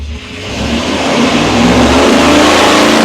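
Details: Supercharged Ford 8BA-style Flathead V8 on the engine dyno with custom headers. Loud pull with the pitch climbing steadily and a smooth, even note; healthy under load.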